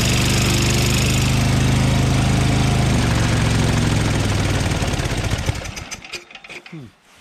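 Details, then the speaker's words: Craftsman two-stage snowblower single-cylinder engine runs at a steady, fairly fast beat, then sags and fades out; little power with the auger engaged, owner suspects magneto losing spark when hot; engine losing power and dying. "Doesn't seem to be much power at all. As soon as I put the auger on, it didn't seem like it was really spinning very fast."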